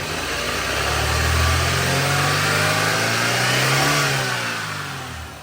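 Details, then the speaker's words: 1998-2002 Honda Accord started after a timing belt replacement with an aftermarket tensioner, which can make an intermittent odd noise. Revved, the engine rises smoothly, holds steady and drops back evenly with no ticking or slapping; sounds normal. "It's good right there. Nothing weird. Should be alright."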